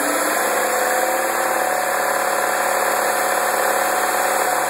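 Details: 2009 MINI Cooper (non-S) at idle: a steady, buzzy metallic rattle rides over a smooth idle with no clear beat. Something is loose in the engine bay; cause not pinned down. Engine bay rattle.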